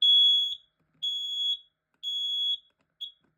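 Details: 10 SDI smoke alarm in full alarm after being held up close: shrill high half-second beeps repeating once a second. It had failed at first, which the owner blamed on a running fan.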